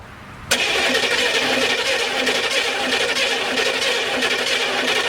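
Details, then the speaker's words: M1165 turbocharged Humvee diesel cranking on just-installed batteries with all fuel injector lines loosened to bleed air after transmission pan bolts were retightened; steady starter churn, no firing, won't catch with air still in the fuel system. "Gonna go ahead and crank it over and see if some fuel starts coming out, and then once it starts coming out, then I'm gonna go ahead and tighten them all, and then hopefully she runs without any issues."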